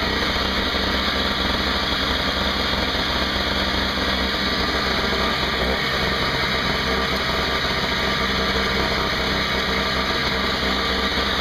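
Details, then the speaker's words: Craftsman 5hp 21" two-stroke snowblower after carburetor repair (leaking fixed), 20:1 fuel mix: high, buzzy, steady drone with no misses or surging, no leaks; running normally. "sounds good no leaks i think we have a winner"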